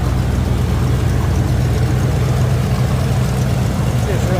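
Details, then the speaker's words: 1985 Chevy Caprice Classic wagon, small-block V8: deep, smooth, even burble with a steady low beat and no misses or knocks; runs very well; normal idle. "so damn good don't worry about that i just washed it there we go i mean this thing just runs so good"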